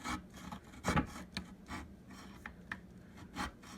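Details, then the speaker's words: Spring-loaded leveling arm on a Hover-1 Buggy hoverboard cart: short rasping metal scrapes with each push on one side; owner suspects missing grease or rubbing. "But here on this side, this one is screwed up. You'll hear that it's grinding in there. It's grinding metal in there. I don't know why."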